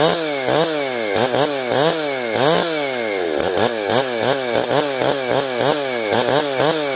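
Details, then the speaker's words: 455 chainsaw with rebuilt carburetor, high screw about a full turn out: revving repeatedly, burbling and breaking up at the top instead of screaming clean; bad four-stroking from too-rich high-speed mixture, high screw to be turned in. "I runs pretty good there they're not no hesitation off idle much hold a really bad for stroke right there so we will go sit our hi little bit up"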